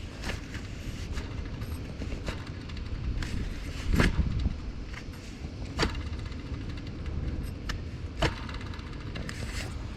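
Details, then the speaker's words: 2005 Jeep Liberty CRD 2.8L turbo diesel, serpentine belt off, idler pulley spun by hand: dry, gritty rumble with scattered clicks as it coasts down; worn idler pulley bearing needs replacing. "hopefully you guys can hear that this one's gonna need to be replaced"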